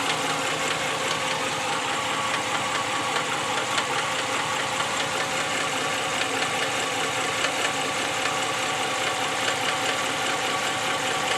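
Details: 2014 Ram 1500 5.7 V8 idling with a steady, fairly loud knocking underneath, about two to three knocks a second.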